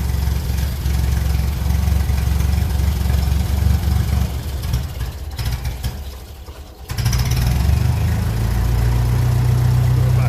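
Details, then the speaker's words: 1957 Ferguson 35 TVO tractor after damp storage, carb screw adjusted and carb cleaner sprayed: uneven low chugging sagging nearly to stall at low speed then catching; won't idle slowly, owner considers flushing tank and fresh petrol. "oh not happy to run to run slow at all not interesting just like that"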